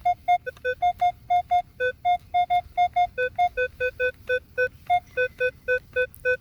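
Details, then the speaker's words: Minelab Equinox 800: crisp short beeps about three per second, switching between a low and a higher pitch. The signal repeats all the way around with a steady VDI number, and the target was a penny about three inches down. "and now we've got a repeatable signal repeatable all the way around the vdi number is staying the same but again i'm not paying too much attention to the vdi number i'm listening for that good clean tone"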